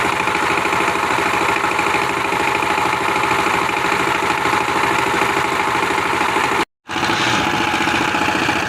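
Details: Power tiller diesel engine after nozzle replacement (new nozzle, spring and nozzle pin fitted, injector pipe reconnected): steady, even diesel chug at a constant idle with no tapping, knocks or misses; normal running restored.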